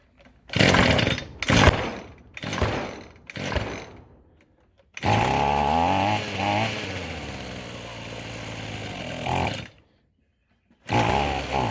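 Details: Echo SRM-210 two-stroke string trimmer after replacing purge bulb, fuel lines, fuel filter and air filter: a few pull-starts, then it catches, revs crisply and settles to a steady idle; starts and runs well.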